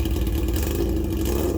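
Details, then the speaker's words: Yamaha XJ650, about 40 years old and back after 8 years off the road, revving with no baffle fitted: a deep, harsh, raspy roar that stays loud and coarse. Loud unbaffled exhaust, heard before the new baffle goes in. "I hope you can appreciate that just grungchiness of that to be in the room with it it's quite intense"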